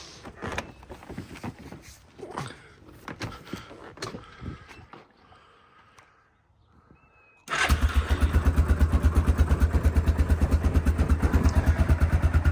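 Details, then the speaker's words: Previously non-running Yamaha Grizzly ATV (single-cylinder), revived after fixing leaks, radiator and sticking throttle cable: starts right up, settles into a steady, even thumping idle after some handling noise; normal idle. "this is a good little machine it starts right up oops except I'm not in gear"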